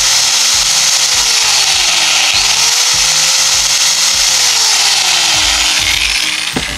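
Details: Makita 9553B angle grinder after replacing the armature, originally rough-sounding and overheating quickly: smooth even high motor whine with steady brush hiss, no roughness, winding down at end; runs normally after repair.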